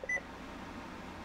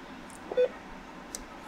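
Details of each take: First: Radio Shack HTX 202 handheld ham radio switched on after replacing the memory backup battery: one short, clean high beep, then quiet room hiss; it remembered 146.52 MHz, no more error, normal power-up. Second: Radio Shack HTX 202 handheld ham radio at switch-on, air conditioner running nearby: one short mid-pitched beep, then ER1 or ER2 error; settings not retained because the ~30-year-old memory backup battery is dead.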